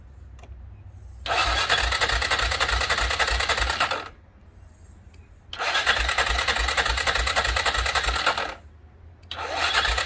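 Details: 2006 Arctic Cat 400 4x4 quad, battery showing only 6 volts, cranked on a jump pack: slow labored cranking in bursts, trying to fire but never catching; owner suspects no gas or a dirty carburetor.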